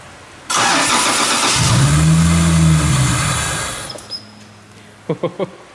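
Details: 1997 Nissan S14 240SX with stock long-block VVTi 2JZ six, after installing new injectors, fuel rail, lines and pressure regulator: brief crank then steady even run with no stumble or misfire; healthy start, not running rich.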